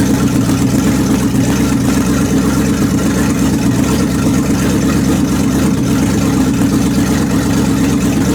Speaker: well I disconnected the shifter and I manually put it in reverse so I'm going to fire it up in reverse